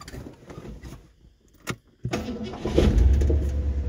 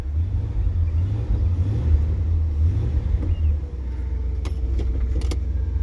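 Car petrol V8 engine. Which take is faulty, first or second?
second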